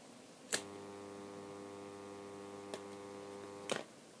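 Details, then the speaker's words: ZCPW400 submersible dirty-water drain pump: click, then steady hum with the motor stalled and not spinning until the impeller is pushed by finger; failed capacitor, replaced. "остановился загудел и смотрите что Толкай толкаем пальцем и все заработало отключаем мы поднимаем загудел и не вращается опять пальцем толкаем"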